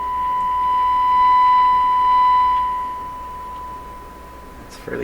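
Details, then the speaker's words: Canadian Crosley 12B tube radio on the bench, signal generator tone at about 30% modulation through its speaker: steady tone turns harsh and buzzy when the volume is turned up; distortion at high volume, cause unclear. "now it's certainly here's a distortion when I get it turned up"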